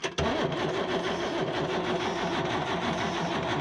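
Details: Isuzu 6BB1 diesel in a 1975 Chevy pickup, sitting since 1992, while bleeding the injection pump: it cranks with a fast, even, rough churning rhythm but never catches, with air still in the fuel system.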